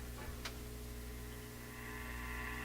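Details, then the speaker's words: Addison 5-tube radio, warmed up and out of its cabinet: constant low mains-type hum with a buzzy edge that changes with volume, so suspected to originate in the audio circuits; persistent hum, source unconfirmed. "This is the volume dependent hum, which means it's it's got to be sourced in the audio circuits."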